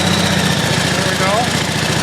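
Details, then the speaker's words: Pump engine on a 1989 Ford F-350 brush truck holding a smooth, quiet 100 PSI before shutdown: steady, even idle with regular beats and no misses or knocks. Normal running. "all right as you can see see has a nice smooth quiet 100 PSI right there"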